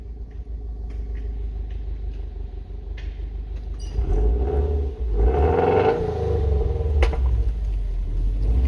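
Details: 2011 Subaru Impreza WRX with replacement Japanese engine swapped in for an EJ25 that had head gasket and ring land issues: deep even idle rumble swelling smoothly with a short rev and dropping back, no knocks or rattles, healthy.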